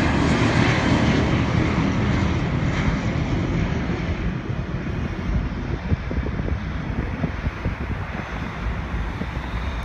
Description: MD90 compressor stall on the No.1 engine taking of from 27R at Hartsfield.